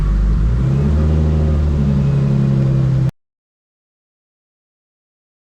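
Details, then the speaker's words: Nissan R32 Skyline fitted with a Kinsler 700-series cam-driven mechanical fuel pump and a Radium external FCST, running after the timing was set. A steady, deep engine note holds even revs with no misfire or knock. It needs extra cranking to build fuel pressure. "we got the car started up uh set the timing and she's running great"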